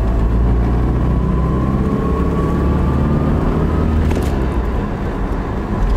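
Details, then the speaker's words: 2002 Toyota Tacoma 2WD, 202,000 miles, cruising after new front calipers: over steady road rumble a faint thin tone rises in pitch with road speed; owner thinks the transmission is too noisy, possibly more so in first and second gear. "Tell me what you think about her transmission. I put it in the comments. I think it's too noisy."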